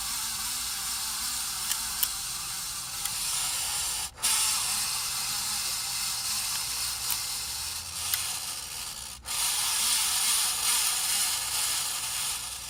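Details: 53" Casablanca Spirit Of Saturn ceiling fan, recorded November 2018, running with a steady dry hissing scrape and faint ticks about once a second; bearings had gone bad, sent in for bearing replacement.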